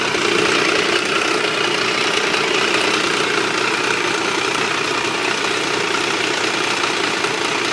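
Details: Triumph 955i motorcycle at idle: busy metallic clatter over the exhaust, always present but worse when hot and louder on the left side; owner suspects clutch or valves, source unclear.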